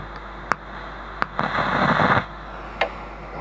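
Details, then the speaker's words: Big 900BV amplifier preamp: tapping components gives bursts of loud crackling hiss over steady hum; the microphonic preamp IC is the fault, blamed for blowing the output transistors, needs replacing. "Вот смотрите, эффект. Вот здесь вот микрофонный эффект слышно. А вот она и неисправность, микросхема."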